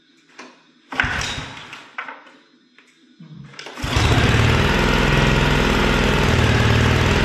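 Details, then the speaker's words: Cub Cadet log splitter after decades of use, refueled with a mixed fuel batch plus K100 after running out of fuel or stalling: a few pulls, then the small engine catches and runs steadily. "Whether it ran out of gas or stalled, who knows, but we'll fire it up, get this thing moving, and then we got to split some wood."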